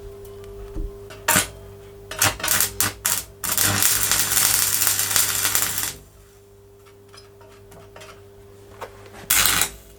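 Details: Vintage Oxford RT110 MMA stick welder after sitting about 10 years: arc crackles in uneven bursts with gaps and restrikes; owner suspects too few amps for rods too big.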